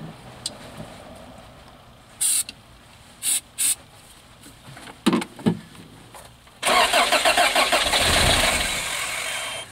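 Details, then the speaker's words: 1986 Toyota van that sat about 5 years, new starter fitted, cold day, spark confirmed: scattered clicks, then it fires on starting fluid (ether) and runs ragged about three seconds before dying; owner suspects fuel pump. "It actually cranks over now. It actually started for a second under ether, or starting fluid. So we've got an issue."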